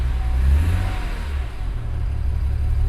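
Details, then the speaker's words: BMW 335i E92 N54 on E85 that sat over a week, started: lumpy idle with revs rising and falling unevenly, known low compression problem still present. "Strange, it didn't miraculously fix its low compression problem."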